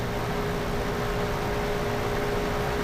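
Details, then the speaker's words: Dehumidifier running normally during a refrigerant recharge: steady even compressor hum with a constant tone over fan rush, no rattles or cycling; compressor and small line hot, pressure near 46 while charging. "The compressor is hot. You should be able to feel and hear the compressor humming and moving."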